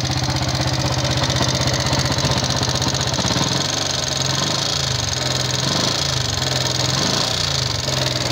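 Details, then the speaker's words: Yamaha Jupiter MX King fuel-injected, complaint of rough noise: small single idles with coarse, uneven klik-klak ticking rattle over the beat, a rough internal clatter; cause not yet diagnosed, before engine teardown. "Keluhannya adalah mesinnya mengeluarkan suara berisik kasar, klik-klik-klik, klak-klak-klak, kira-kira seperti itu, teman-teman."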